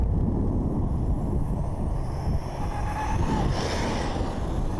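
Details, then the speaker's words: Draco Vorza RC car during a diff case test, after the motor mount screws had backed out; a thin whine rises over the running noise in the last seconds, and the ESC also cuts out now and then; cause unclear. "of a funny noise going on. Like a whine, if you can hear that."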